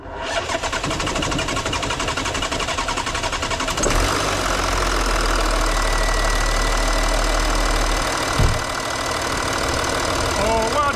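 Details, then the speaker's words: 2012 Audi Q7 diesel after servicing a suspected injector causing hissing at idle: brief crank, catches about four seconds, steady even idle with no hiss; normal start and idle, hissing fixed. "problem fixed the hissing noise fixed and the engine sell healthy"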